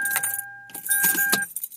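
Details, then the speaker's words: 1999 Toyota 4Runner with an intermittent no-start, demonstrated with the connector to the fuse box (wired to the battery) unplugged. Key jangle and a warning chime, then nothing: no starter click and no cranking. "Now, I'm going to show you what the car does then when I try to turn my car on, now that that plug is unplugged. So make some noise. Nothing."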